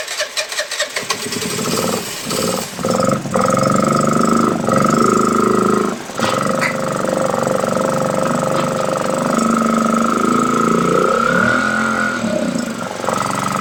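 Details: Piaggio Liberty 125 scooter after a starter electrical fix, running on starter spray and a new spark plug: it catches and runs unevenly, revs sagging and recovering. Weak and struggling, cause not found; carburetor cleaning planned.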